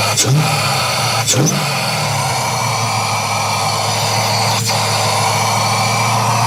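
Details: Joe's 1969 Camaro V8 on Holley Terminator X base tune, second crank after full oil prime: loud steady drone holding a raised idle that never settles; idle air control valve stuck open.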